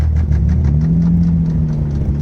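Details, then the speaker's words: Toyota Supra revived after 8 years abandoned, struggling to stay running with a missing vacuum line: rough idle with steady hard knock six or seven times a second; suspected bad rod knock. "I'm having a hard time staying running, but yeah, we'll see how it goes. You can hear that rod knock."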